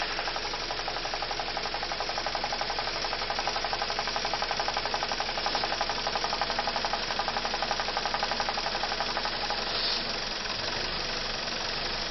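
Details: BMW E46 316i N42 petrol at idle: light, even, clicky knocking about four times a second; owner suspects a broken vacuum pump, since the sound changes when the brake booster vacuum pipe is unplugged.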